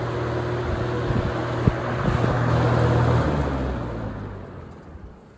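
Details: Holmes HABF-20 box fan (Feb 1997), motor cleaned and freshly oiled, wobbling blade. A low hum with a soft rhythmic rattle fading as the blades coast to a stop after power-off; no bearing grinding. A decent spin-down.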